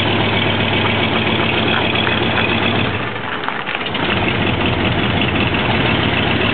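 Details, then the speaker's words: RFT Toyroña engine at idle: steady busy idle that sags and falters around three seconds, then carries on; engine stalling at idle, cause unclear. "y se apaga."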